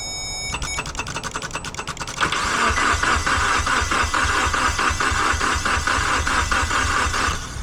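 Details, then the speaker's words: Mitsubishi Evo X towed in as a no-crank after its key antenna was replaced, cranked with a power probe with the key on: steady starter cranking at roughly 2.5 turns per second that never fires; the ECU shows no codes. "you have an issue with the immobilizer, the car will still crank. It just won't actually start because the fuel pump is not active or it's not supplying spark or something."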